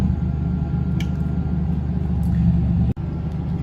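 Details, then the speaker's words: Generator on a 25 ft ADA mobile clinic, started by holding the stop/prime switch for 10–20 seconds and then the start button until the light turns solid. Steady low rumble with one brief dropout near the end and no knocking or rattles: the generator runs normally. "And then hold down the start button until the light turns solid and you hear the generator power on."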